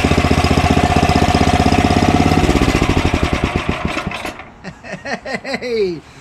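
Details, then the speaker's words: Ariens snowblower Tecumseh Snow King engine, just started on electric start, before carburetor cleaning: quick even firing that slackens and drags, governed speed hunting, mild surging; carburetor otherwise clean, partly clogged pilot jet, still runs at idle. "we did nothing to put gas in it and it starts and runs uh surges a little right uh but not as bad as the other one we did the other day"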